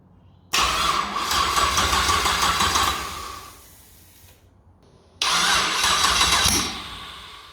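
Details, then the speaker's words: 6L LS V8 (LS2 or L77) with Turbo 400 in Mini Mog, first start attempt: two bursts of steady starter whine with fast, even cranking, engine not yet catching; starter sounds healthy. "Accessories and power, so the pump should prime and then stop, I hope. Alright, and this is the starter motor."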